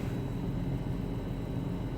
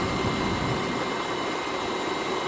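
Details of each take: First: BMW X5 M62TUB44 V8, first start in months after timing chain and guide replacement with chains oiled before closing: quiet, smooth low hum at idle with no chain rattle or ticking; surprisingly silent, healthy. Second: BMW X5 M62TUB44 V8 idling just after timing chain and guide replacement, first start in months: smooth idle with faint fast chain rattle and a thin steady whine of unknown source that was present before the repair; slight, barely audible.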